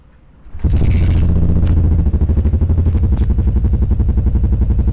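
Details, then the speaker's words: Yamaha SR400 single-cylinder starts normally after the degraded battery was replaced, clearing the engine-light code (4 slow, 6 fast flashes); it fires on the first crank and settles to a steady, even thump of about four beats a second. "ก็การสตาร์ทเครื่องก็เป็นปกติทุกอย่างนะครับ"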